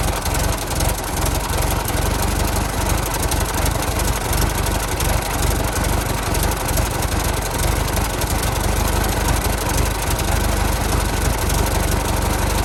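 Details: 1916 Federal Motors truck, 107-year-old four-cylinder that was seized and sat 50+ years, bottle-fed fuel, rusty radiator being filled with water; slow, even, low-pitched idle holding steady with no misses or knocks, runs real good: normal idle.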